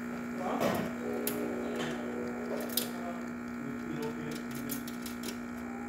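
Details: Gaggia Classic espresso machine pulling a test shot after repair (grinder not calibrated): steady low vibration pump buzz, no stutter or strain; normal pump operation.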